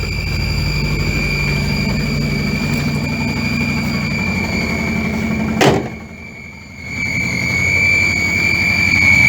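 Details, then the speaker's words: 1962 Land Rover Series 2a 109 LWB: steady high whistle over the loping idle, unchanged in pitch, traced to manifold leak from exhaust/inlet manifold stud nuts and 7/16 AF clamp bolts not tightened to correct torque; fan belt and dynamo removed, so not belt. "I don't know. Alright, guys and girls, right, further to that noise, I've sorted it out, and what you can see down along the exhaust manifold and the inlet manifold are some stud nuts"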